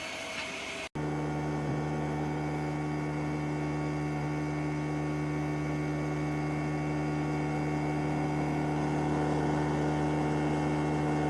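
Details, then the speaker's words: ELEGOO Mars 5 Ultra 9K resin 3D printer: Z-axis won't stop at home and keeps driving down toward the screen; steady low motor drone/roar that never pauses, motor just keeps running and nothing prints, owner thinks it's broken. "and you can hear the motors like are roaring. Yeah, the motor is keep on failing. running. Yeah. Yeah, it just keeps on running. It's not printing anything."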